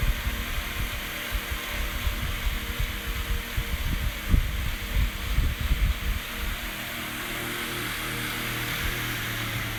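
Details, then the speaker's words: HP 9.9-inch high velocity fan running steadily with a low hum and an uneven, rough rattle from bad, cheap motor bearings; it still works. "it it sounds raggedy because the bearings are bad but at least it still works"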